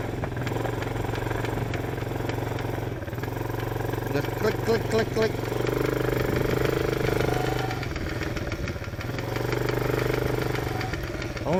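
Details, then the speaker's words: Chinese ATV, quick uneven clicking about three or four a second only when riding forward, fine in reverse and when throttle applied; owner suspects the transmission, unconfirmed. "happen when I'm going forward. Everything's fine when I hit the gas. It's got to be something in the um dingyamajiggy bob here."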